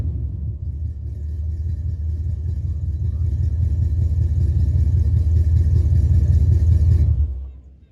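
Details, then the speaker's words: 1977 Dodge D200 360 V8 with new intake and rebuilt carb not yet tuned, leaking coolant; after a test drive the deep even rumble swells smoothly as throttle is held, then drops away cleanly without misses: healthy revving. "other than that uh seems pretty good all right I'll do one more rev for you guys"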